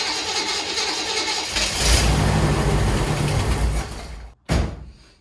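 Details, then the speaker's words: 1963 Chevy Impala, very cold weather, after retightening nuts: cranks, catches, runs a couple of seconds with a rough lumpy idle, then dies and coughs once; idle likely too low, to be turned up. "okay so we started up but instantly gave out so basically what i'm gonna do is i'm just gonna turn on the or i'm gonna turn up the idle because that right there was definitely not enough time"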